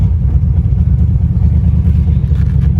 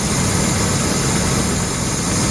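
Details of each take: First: Land Rover Discovery under way with a loud, raspy, blatty low rumble from a bad exhaust leak underneath, which smoked at idle; the transmission shifts through the gears. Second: Land Rover Discovery that started after a shot of starter fluid with the air cleaner off: a steady, even low idle with no knocks, stumbles or surges. It is now running properly; the fuel smells of bad gas.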